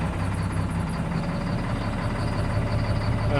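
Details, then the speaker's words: Caterpillar C7 ACERT diesel with power loss and strange noise, cylinder cut-out test at idle: rough uneven beat, no change when injector 5 is cut; injector 5 faulty. "como la falla se ha quitado mal funcionamiento del quinto vamos a ponerlo otra vez trae un tipo de falla con el vector número 5"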